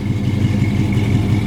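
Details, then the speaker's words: 1968 Chevrolet Impala, 383 stroker V8 with cam, rebuilt Turbo 350, open-chamber mufflers: deep idle with rhythmic uneven lope, a little bump from the cam; lumpy cammed idle. "I'm gonna let you listen to it you can tell it's got a cam in it got a little little bump to it"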